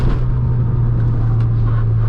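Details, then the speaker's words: Integra on a new tune, driving. A steady low droning hum over road rumble; an unidentified noise that went away. "what is that noise oh went away we're good you just have to drive the car really fast that noises go away"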